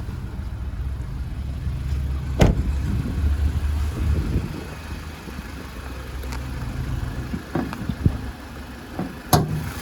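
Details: 2015 Mazda CX-3 Maxx, about 92,000 km with full service history, listened to at idle under the bonnet: quiet even low hum with a few handling clicks, no knocks, rattles or squeals; normal idle.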